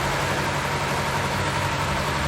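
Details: Kawasaki Z250 after engine reassembly, cam chain replacement and tune-up: smooth, even warm idle with a steady low drone, no ticking, rattle or hunting, while the cooling fan cycles; engine running normally.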